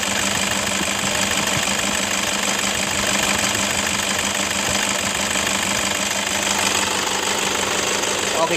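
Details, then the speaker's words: 2011 Toyota Fortuner 2KD 2.5 diesel at idle before repair: harsh rough rattle with fast metallic jingling, from worn belt tensioner assembly and both upper and lower idler bearings. "Kasar banget ya Nah ini tersebut itu berasal dari engselnya sama Idol bearing deh Jadi ada bunyi rocker itu Kasar banget dari Tensioner"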